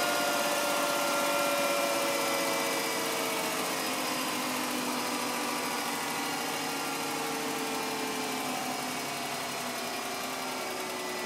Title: M52 strange noise